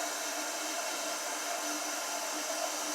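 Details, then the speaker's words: Toilet flushing and refilling after replacing the Fluidmaster fill valve, testing for proper operation; steady even hiss of water filling the tank, no chatter or squeal, fill valve refilling normally. "It's a good flush. Fills up. You can hear it filling up, so obviously it's filling"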